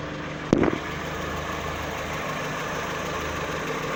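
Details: VW Saveiro 1.6 2012 after replacing the gearbox bearing plate, which had growled at idle in neutral with clutch released (stopped when clutch pressed): brief clunk, then quiet smooth steady idle, no growl; fixed.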